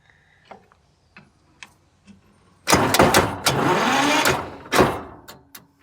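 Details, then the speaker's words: Side-by-side twin Detroit 6-71 power unit jumped with batteries: strong, fast cranking for a couple of seconds but it never fires; owner suspects the fuel cut-off is shut. "sounds like it's almost u sound like the fuel CYO is shut on it"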